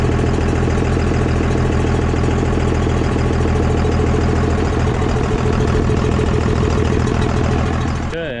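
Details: Cummins 24-valve diesel pickup after an injection pump swap, on first start with a leak seen by a valve: steady, even diesel clatter at idle with no misses or knocks, running healthy until shut off.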